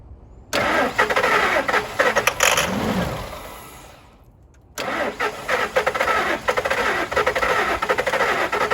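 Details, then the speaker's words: 1999 Ford F250 Super Duty utility truck, EFI, sat in a mud hole for 9 years, first start: cranks, catches, dies briefly, then steady idle with no grinding or hissing; oil pressure primes, slightly slow until oil warms. "I know it's gonna run there's no crazy noises grinding sparking smoking hissing any kind of thing like that going on you could hear the oil pressure Prime up as soon as it started fired the first time"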